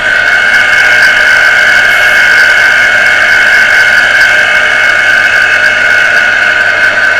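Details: Water pressure pump motor that had only hummed and not started, heavily jammed and beginning to free up after servicing, run on socket; loud steady high whine with squealing edge, little low hum; stiff, partly seized bearing.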